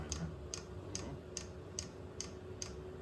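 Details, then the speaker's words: Vevor 8 kW Chinese diesel heater at first startup: sharp, even ticks about 72 a minute over a low hum as the dosing pump feeds fuel; normal metering, though air in the line is suspected. "A pretty steady click out of there now. There's a lot of air in that line,"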